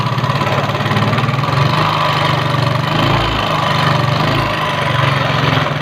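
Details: Yamaha Mio carburetor scooter with a complaint of rough engine sound. Steady idle with a coarse, gravelly texture and an uneven low thrum underneath. Rough running, cause not yet pinned down.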